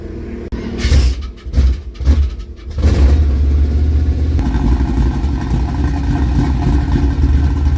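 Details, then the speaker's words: 1976 K5 Blazer that sat 5-8 or more years, oil black and unchanged, fuel poured into the carb: a few sputtering catches, then it settles into a steady deep rumble. It runs only on the primed fuel. "oh Fire's up that's probably all the gas I had in it one more fuel we'll try it again"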